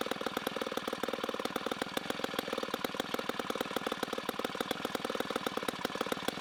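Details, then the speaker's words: 1960s Homelite C-51/XL-12 vintage two-stroke chainsaw, revived, started with choke: loud, fast, regular popping at steady speed with a slightly uneven, burbling edge. It is running a little rich and may be low on fuel. "it is a very loud saw for now it is running a little rich"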